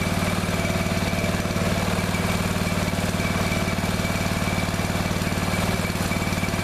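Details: Neglected riding mower revived, after replacing fuel line and clamps, refitting shutoff and filter, fresh gas, jump pack on weak battery: small single-cylinder thumping at a steady, even beat, no misses or stumbles; runs perfectly now.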